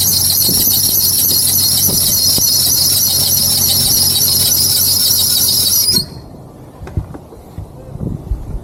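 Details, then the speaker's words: 1994 Jeep Cherokee auction car: loud shrill steady squeal for six seconds then cuts out; alternator seized or not turning, belt slipping, fan not turning while cranking; serpentine belt squeal. "that alternator ain't turning for nothing at all I was wondering cuz whenever you crank it over the fan wasn't turning it any bit uh cuz it was slipping on the water pump it seemed like"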